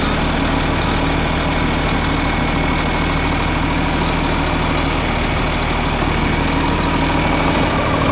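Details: Tractor running after replacement of a leaking hydraulic pump O-ring, with oil topped off, left running to check for leaks: a steady, even diesel idle with a smooth low rumble and no knocks or misses.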